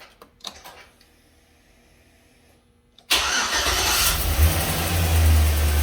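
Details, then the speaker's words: After fuel-line replacement with MDFF0002SS braided stainless lines on a Chevy Silverado, key cycled three times to prime; pump primes quietly, engine cranks, catches at once and settles into an even idle with a light rev; normal start and idle. "Sounds good. So that's the modern day MDF 0002 SS installed."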